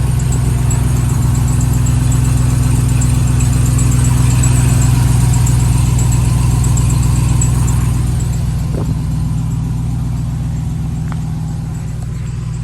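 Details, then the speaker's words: Ram TRX on a cold start at idle: steady low idle with a fast, even buzzy rattle, about four a second, from under the truck, getting louder; owner wonders if a loose skid plate, cause unconfirmed, to be checked at a shop. "definitely doesn't sound good it's not that loud right now but it does get louder"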